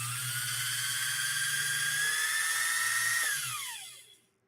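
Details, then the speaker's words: Pfaff 130-6 sewing machine whose motor runs very fast by design, peaking near 7000 RPM: a high thin whine climbs, holds, then drops away; the new cog belt slips on the high-output pulley, and a V-belt swap is planned. "this motor tends to run very very fast uh By Design can you hear that that's the that's we're peaking at almost 7000 RPMs and with this style belt it's just not it's not ideal"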